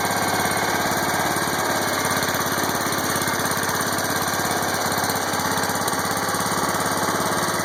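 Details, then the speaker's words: John Deere 140 Hydro lawn tractor, warm, in neutral after adjusting the freewheeling valve off the check valves to cure creep: even, steady engine beat about three and a half per second, no clatter or hunting; healthy. "It's in neutral. No funny noises. That's always a good thing."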